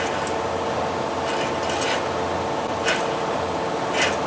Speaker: you can hear that yeah you can hear that wheelberry